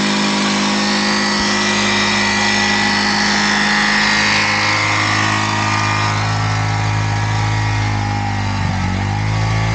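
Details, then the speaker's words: Yamaha YZF R125 under crash-damage rebuild, idling with a slight rev change during a check of the exhaust: steady buzz, no puffing or ticking at the joint; no gaps, cracks or leaking fumes, only a new sleeve needed. "that looks good no gaps or cracks no exhaust fumes coming out where they shouldn't be we are happy here"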